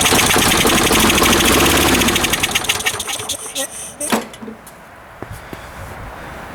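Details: Toro Super Recycler self-propelled mower, 6.5hp Briggs & Stratton, sat years with fuel in carb: dirty air filter off, carb cleaner sprayed in, rapid regular firing for about three seconds then sputters and dies; no fuel through carb, carb needs cleaning.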